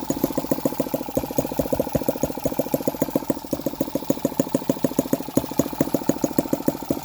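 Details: Hand-started tiny four-stroke engine with separate oil and fuel, carburettor and electronic ignition, ticking over with crisp, evenly spaced pops, roughly three or four a second; steady, healthy normal idle.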